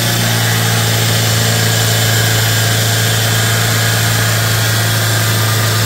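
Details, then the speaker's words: 2008 Chevrolet Spark petrol, after EGR valve cleaned with throttle body cleaner: fast idle with no throttle, estimated by ear at 3000+ rpm (no tachometer), and an airy hiss near the intake manifold. Vacuum leak suspected, with intake backfire felt. "लेकिन सुनके तो यही लग रहा है कि 3000 या फिर उससे भी ज्यादा जा रहा है इनटेक मैनीफोल्ड के पास से हिसिंग नॉज आती है सुनके ऐसा लगता है जैसे हवा लीक हो रही हो"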